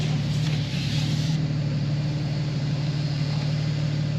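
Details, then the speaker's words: BMW G82 M4 with wheel spacers, after fitting aluminium mesh grilles to inner front shrouds, creeping in reverse at full right lock where it used to rub; only low steady engine hum, no scraping: no tyre rub. "Pleased to say, no noise."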